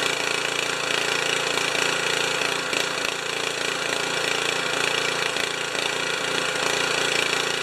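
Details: Honda HS720 commercial snow thrower, small engine after sitting, runs rough with an uneven loping beat, sputtering and coughing and hunting instead of holding steady; owner suspects water in the fuel tank or a clogged carburetor, cause unconfirmed.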